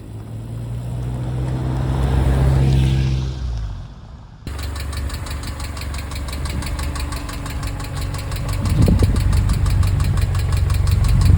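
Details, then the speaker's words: Subaru EJ engine in a VW Syncro Doka conversion at idle, before lifter replacement; fast light even tick about four per second over steady idle, valve train tapping from bad hydraulic lifters. "lets listen to the noise again not nice, small issue, big impact"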